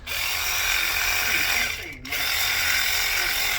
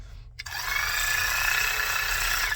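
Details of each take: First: Matco Infinium MCL1238R 3/8 12V electric ratchet, over 10 years old, previously slow with no power and smoking, after fitting an RS550 replacement motor on a dead battery: two fast steady high-pitched whirring runs; much better. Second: Matco Infinium MCL1238R 3/8-inch 12V electric ratchet, over 10 years old, before motor replacement: thin, steady high whine for about two seconds with little power. Slow and weak, sometimes smokes; motor worn.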